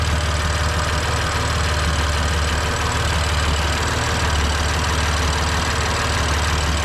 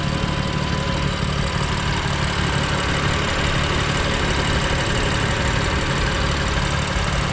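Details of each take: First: 2020 BMW F82 M4 S55 engine, cold start idle: light uneven ticking rattle over steady hum from camshaft bolt issue on exhaust side, believed gone when warm; injector ticking is normal. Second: 2020 BMW F82 M4 with a camshaft bolt knocking from the exhaust side of the engine: steady idle with the hood open, rattling gone, only a light even injector tick remains.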